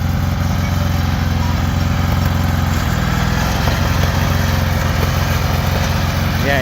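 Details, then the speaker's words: Lawn mower taken four-wheeling on a mountain: rough single-cylinder putter with uneven pops breaking the rhythm; the engine is backfiring. "you can hear it backfiring now."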